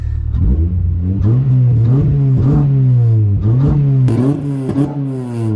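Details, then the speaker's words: Freshly engine-swapped Honda Civic (replacement engine sat about a year and a half) driven slowly in second gear: crisp, even, buzzy bee-like revs climbing and falling cleanly with throttle, no knocks or rattles; normal revving, some smoke that cleared after running. "It sounds like a bee."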